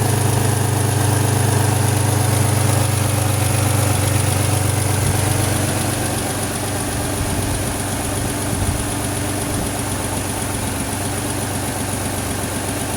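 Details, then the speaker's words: 2006 Pontiac Grand Prix supercharged V6, first start after swapping in a used engine: steady idle with a faint regular puffing tick and slight unevenness from an exhaust crossover leak, plus a mild miss from one unchanged old spark plug. "Sounds good. Wow, it actually sounds pretty healthy. I didn't get to change that one spark plug. It's still kind of missing a little, but it's running a hell of a lot better than what it was with all those other 5 junk ass spark plugs."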